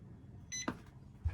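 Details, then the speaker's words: NewAge RoadOwl caravan off-grid setup, Enerdrive 2600 W inverter switched on while free camping, feeding factory outlets: short beep and clicks over room hum as unit senses mains power; normal power-on, then 210 W draw. "Listen for the beeps. All right, mains power's active. See? Now, take note, it sensed mains power because it is plugged in to the factory system, and that GPO is controlled by that switch."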